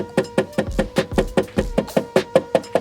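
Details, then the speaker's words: 2023 Range Rover rear interior: hand taps on an undamped plastic trim panel give hollow, ringing knocks; a panel with a harness through it only thuds; the rear section is to be sound-deadened against rattles. "see how much noise that makes? Now this panel has a harness through it. See how it kind of thuds? It doesn't have the same resonance as that panel, so we're gonna do some deadening."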